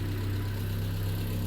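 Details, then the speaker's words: Triumph Spitfire with rebuilt engine, choke coming off, no cooling system fitted: steady, even low rumble at about 900 rpm with no knocks or misses. Normal idle. "Engine sounds absolutely sweet. About 900 RPM."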